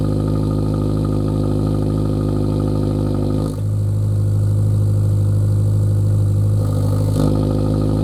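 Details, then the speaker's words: Lowered Subaru VB WRX after intermediate pipe upgrade (replaced after damage while driving): steady deep exhaust drone with smooth rev rise and fall, cold start noticeably louder, no rattles or blowing leaks; normal exhaust note. "so there we have it um I've done the upgrade to the intermediate pipe a few sound Clips come through there so hopefully uh you get a bit of an idea of what it sounds like on the road um as well as from idle when it's cold started it's a lot louder"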